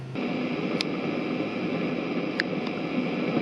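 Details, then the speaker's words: Aussie Panther guitar amp head on test cab: steady hiss with sharp random crackles like AM radio in a thunderstorm, from a failing resistor in the phase inverter. "you can hear there the crackling sort of thunderstormy noises happening as if you're listening to a AM radio on a stormy day that is that Tower's history in the phase inverter"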